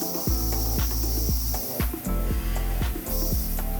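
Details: T-slot cutter with a thin neck undercutting a handle (titanium attempted elsewhere) after chatter led to slowing the spindle RPM: a steady cutting tone with an even, slow pulse and no squeal or chatter, a smooth milling cut.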